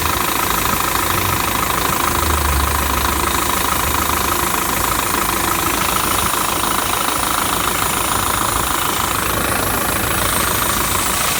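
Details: Steady hiss riding high above an even idle, coming from low on the engine; the hissing has returned and its leak source is not yet found.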